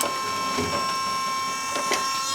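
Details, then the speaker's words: Willys Jeep Kaiser Willys PS2000 12 V electric-over-hydraulic power steering pump running while wheels are turned: faint steady high-pitched hum under light steering creaks and clicks, virtually silent; normal pump operation. "amazing is that, right? Virtually silent electric hydraulic steering."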